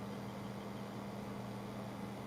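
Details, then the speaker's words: Antec H2O water cooler pump after placing a small taped magnet on it to stop the impeller rattling; soft steady low hum, no rattle or ticking: quiet pump, fix working. "I stick it there and leave it there because now it's yeah it's dead quiet as you can hear if I put the camera closer I am no rattling noise whatsoever"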